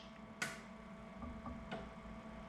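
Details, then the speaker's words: Inkjet printer commissioning, solenoid valve test from screen, flush valve pressed: one crisp click then a softer second over quiet room hum; flush solenoid switching normally. "I'm actually listening for a click of the solenoid clicking so if we do the flush"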